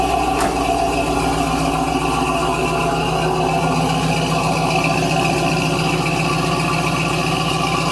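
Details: 1970 Cadillac Eldorado carbureted V8 on cold start, 3-step carburetor with choke set: even, steady V8 idle held at a raised speed with no misses or knocks; still on high idle as the engine is cold, normal cold fast idle.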